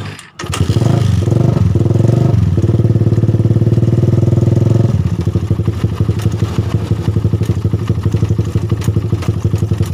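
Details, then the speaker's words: Suzuki Satria FU idling with a rough, loose ticking around the cylinder head, intermittent; suspected worn cam chain tensioner letting the cam chain go slack and slap, before opening the head cover. "ini ya ini bunyi kasar di sekitar sini ini Rara"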